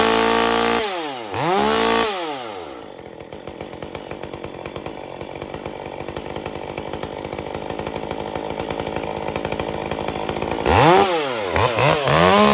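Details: Stihl MS201T chainsaw with a brand-new standard carburetor, making cuts: it surges and wanders in pitch at idle and coming off full throttle, never settling. The unstable carb tune is caused by an impulse line air leak.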